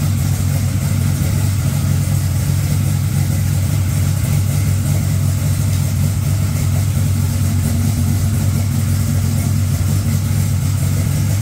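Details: Engine started right after a dead battery (cause unknown, owner checked trans brake and line lock clicking): steady, even low rumble at constant idle, no misses, knocks or hunting; running smoothly.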